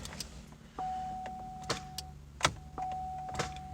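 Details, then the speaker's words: Pontiac Grand Am towed in with a no-crank: key turned gives sharp single loud clicks from the starter, with a chime between and no cranking; power reaches the starter S terminal, voltage drop still to be tested. "hear a very loud click come from the starter so that tells me that we are getting power to the starter like the s terminal"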